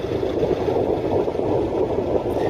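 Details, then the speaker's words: Ford Cortina MK3 estate idling after the dynamo was fixed and the idle mixture screw and tickover were adjusted: an even, steady idle with a smooth low burble and no knocks, misses or hunting. Normal idle. "You can hear TC now ticking over very nicely, and the dynamo's now fixed."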